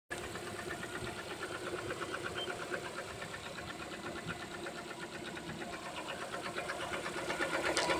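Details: Lada Kalina 2 with automatic transmission, 6,800 km; light, regular ticking knock roughly three per second over a steady idle; engine knock, cause unclear.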